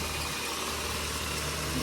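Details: Nissan Sentra B14 EX saloon, running after the crank-no-start fault: steady low, even idle with no knocks or misses, though it still needs a street tune.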